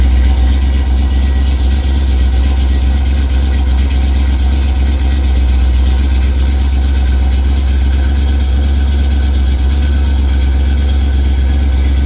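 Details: 1987 Chrysler Fifth Avenue, not run for about 6 months, just started cold in January on choke: steady, even low rumble with no misses, knocks or ticks over twelve seconds. Normal cold idle.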